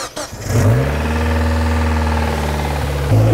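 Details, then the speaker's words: 1999 Mazda Miata at its first start after a head gasket replacement: the engine catches and settles into a solid idle, but an odd whooshing, whipping noise rides over it from the engine bay; the source is unknown and an idle setting procedure may be needed. "i don't know what that kind of whipping noise is like it's idling pretty solid now yeah that noise is a little suspect"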